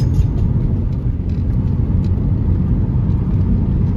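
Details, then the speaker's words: Nissan Sentra ECCS driving after front caliper overhaul and drum brake cylinder replacement, engine temperature good and not overheating; smooth even low exhaust rumble, quiet drive and pleasant muffler note, no knocks, rattles or whine; ride harsh from worn shocks. "tahimik naman siya i-drive. Sarap nung tunog ng muffler."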